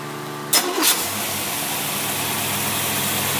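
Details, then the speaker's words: Edelbrock carburetor on a running engine in cold weather, fuel pump pressure raised from 3 to 9 psi: engine catches and settles into a steady, slightly lumpy idle; mixture goes radically rich, needs a pressure regulator. "That mixture starts getting radically rich. That means you're going to have to put a regulator on it. Some of these Edelbrocks are very, very susceptible to high pressure."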